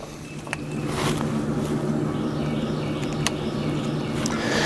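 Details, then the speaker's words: Electric fence charger unplugged from fence, hot and ground leads disconnected, plugged back in for testing: sharp, dry clicks at a steady pulse over faint hum; charger pulsing normally. "so now it's uh it's obviously clicking but it's not hooked up it's not hooked up to ground nor is it hooked up to uh the hot wire"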